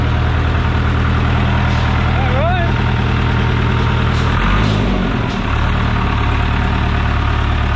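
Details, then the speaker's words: John Deere 455G diesel, cold, firing up after the ground at the flywheel housing was cleaned and the starter sorted: deep, even idle with a steady low throb and no misses or knocks; running healthy. "well she fired back up brand new i think that was a combination of ground and starter and all kinds of stuff"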